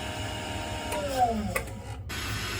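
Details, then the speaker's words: AO Smith Cyclone commercial water heater, about 6 years old and not heating enough: only a steady fan hum during the ignition attempt, with no igniter ticking and no flame detected. The gas valve was found to be off. "I don't hear the thing ticking there's nothing going on in"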